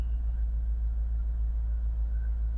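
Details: Mercedes SL55 AMG running again after its corrupted ECU was virginised and refitted. A deep, smooth rumble with an even pulse and no ticks or stumbles. Normal idle.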